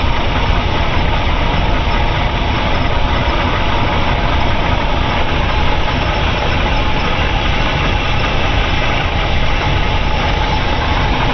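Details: 454 big-block Chevy in a boat idling at 8° BTDC: heavy, uneven exhaust beat from a constant cylinder 8 misfire; pushrods straight, compression good, plug swapped with no change, no vacuum leak found; runs better with plug 8 unhooked.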